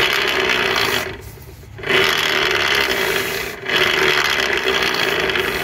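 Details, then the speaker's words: Yamaha Fino (Mio/TTX-type) scooter rear wheel spun by hand gives a harsh, rasping grind in long surges and binds, free in places; support bearing for the belt-pulley arm and the inner bearing are cracked and wobble; internal gear suspected gone. "ตัวนี้ก็โยกแรงเลยนะฮะเพื่อนๆนี่ฮะแล้วเวลาหมุนล้อนี่มีเสียงดังแรง"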